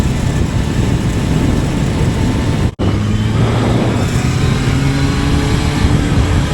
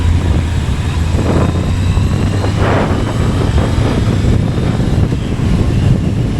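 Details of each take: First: Kawasaki ZRX1100 held near 3,800–3,900 rpm (noise around 4,000 rpm, e.g. fifth gear): thin buzzing rattle over the four-cylinder engine note, present for three years, traced to a loose headlight adjuster bolt, later stiffened to stop it. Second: Kawasaki ZRX1100 in gear under load exiting a corner around 4,000 rpm, after loose-screw fix (buzz later traced to headlight adjuster bolt): steady engine drone with no buzz or rattle.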